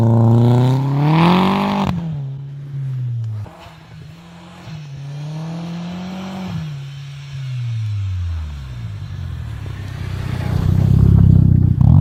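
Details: Audi/VW 1.8T after fitting bigger injectors and a new metal bypass valve in place of the plastic one, cone filter fitted: engine revs up and drops back several times, then a loud rushing hiss as boost vents; normal diverter valve venting.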